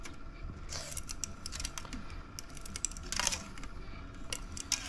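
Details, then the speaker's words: Dry irregular crackling like masking tape peeling as a customer's mold-affected VHS tape is hand-unwound under tension onto a take-up reel; sticky shed layers unsticking. "and that sound you're hearing that sounds like masking tape that's the tape itself unsticking and you can see where it's remove the bit of the film on the bottom"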